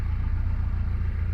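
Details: 2005 Kawasaki KZ1000 Police, motor 458, after cold start: steady, even low rumble at idle with no knocks or misses; smooth cold idle, sounds perfectly healthy, a reliable bike.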